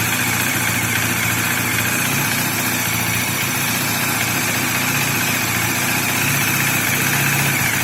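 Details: Bajaj Dominar single at idle: a steady, even tick-over with a busy mechanical clatter on top but no irregular knock; the engine noise is stated to be completely normal.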